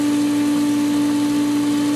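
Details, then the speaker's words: Pool pump at season opening after the skimmer line purged its winterization air and the pump recaught prime. Steady, unwavering motor hum with no gurgle; pump primed with proper flow, almost no air. "Almost no air in the pump now because we have proper flow."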